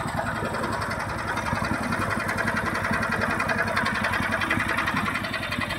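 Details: Horizontal dough mixer driven by a 9 HP General Powell CX 270 petrol engine, second start on half a litre of test fuel: steady single-cylinder chug about 160 beats a minute, no knocks or rattles; described as smooth yet heavy because large. Normal running.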